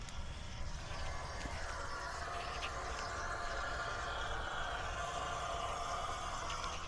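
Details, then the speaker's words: 2020 Ford F-450, 6.7L Powerstroke diesel V8, after a fuel filter change, key on: faint steady hum with a light whirr as the lift pump primes fuel normally. "turn it off turn it on again and listen you can hear it pumping"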